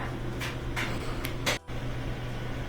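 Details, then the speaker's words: GE electric dryer on 220 V, empty drum, after replacing worn front bearing kit, idler wheel, glides and felts and lubricating: steady low hum with a few light taps, no squeal or thumping; runs smooth, screeching fixed. "so there's without the zipper pretty smooth running now we changed out these Glides and lubricated everything that did the trick"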